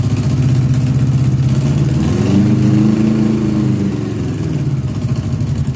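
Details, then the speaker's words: 1982 Honda GL1100 Goldwing Aspencade flat-four, sat 3 years, supposedly rebuilt with new plugs, fresh gas: idles and revs unevenly, stumbling and surging as a couple of carbs hit or miss; owner hopes running will clean them up. "I gave it throttle and it stayed running, but it's still there's a couple carbs that are hit or miss right now."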